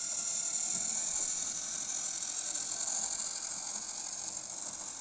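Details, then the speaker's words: Jouef 040TA model locomotive with gear drive pulling a test train after derailment fixes; busy, even rattling buzz of small gears, very noisy compared with a belt-drive 5-pole model, but running normally. "It's a working locomotive. It's a very noisy working locomotive. What a racket."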